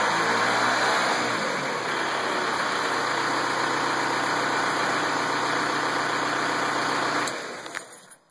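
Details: Volkswagen Beetle TDI diesel at idle: light, steady unexplained ticking, about four ticks a second, before the engine shuts off.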